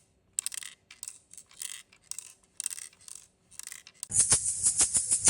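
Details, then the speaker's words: Dwarf Mini smart telescope, as arrived from the factory: dry, light bursts of rattling each time the unit is moved, owner suspects a loose screw or two inside; performance not affected so far. "So, on my unit, there is a loose screw or two rattling inside."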